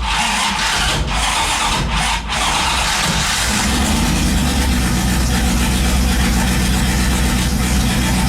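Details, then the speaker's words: 5.2 V8-swapped Dakota running through the new turbo exhaust before the turbo is fitted: loud, choppy, uneven beat at steady speed. Timing suspected way off, firing too early; cause not confirmed. "sounds like the timing is way way off on it like it's firing too early so I'm gonna have to look into that later"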